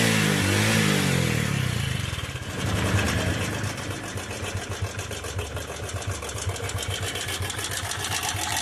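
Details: Motorcycle with oil in the silencer and white smoke: after a rough start it settles into an uneven idle with a rattly, regular ticking on top; a worn cylinder bore needing replacement and a slack cam chain.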